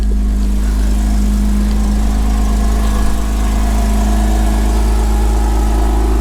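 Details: 2005 Porsche Boxster S 987 idling just after its first cold start with cracked ignition coils wired on bare contacts. Smooth, even low hum with a steady beat and no knocks or misses. Normal idle.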